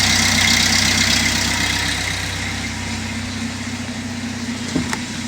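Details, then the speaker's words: Chevy Malibu, possibly a 2006, with codes P0016/P0017, reassembled after a crank no-start. It idles rough with a lumpy, uneven pulse about four times a second and a rattle; the cam/crank timing is off. "okay so as you can see i got everything put back together the cars running still sounds like crap"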